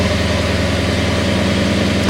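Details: Lexus GS F idling after remote start, with the DCM fuse fix and the remote starter now working. Smooth, even idle with a steady low rumble, no misses or knocks; the battery is getting low.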